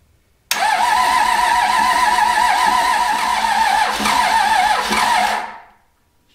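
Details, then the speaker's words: Cummins diesel junkyard engine, raced-out, being revived for a square body truck, fuel leaking at fuel filter: fast steady cranking about five seconds, almost catching but not firing; hard start. "got one oh it's going to get Rowdy when it finally starts"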